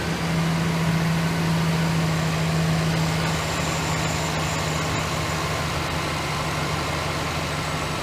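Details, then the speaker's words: 2008 GMC Sierra 1500 5.3 V8 idling after the failed AFM lifter was replaced: a steady, even, quiet idle with no ticking, much quieter than before. Some oil on the exhaust manifold is smoking. Normal idle. "It's a lot quieter than it was. Alright. Fix. Sounding good. Sounding real good."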